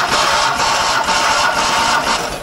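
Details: Fiat 126 barn find, stood for many years, cranked after cleaning points and getting spark: continuous starter grind, steady cranking rhythm, no firing pulses, fading out; turns but won't start.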